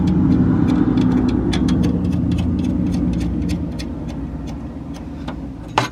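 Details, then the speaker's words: 2018 Audi S4 B9 after replacing worn exhaust valve springs: steady low engine rumble with a light even tick and no loose metallic buzz; exhaust valve rattle gone. "So you guys can see in here right now it doesn't rattle."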